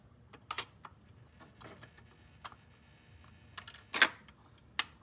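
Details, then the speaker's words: Vintage GE automatic stereo record changer clicked over mid-song: a few light mechanical clicks, then a firm clack as the next record drops and lands perfectly, a normal change cycle. "and by doing that, even if you are fed up with a song, click it over, it'll drop that record and play the next one and land perfectly."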